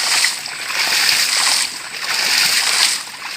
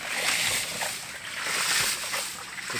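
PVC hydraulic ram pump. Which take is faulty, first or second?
first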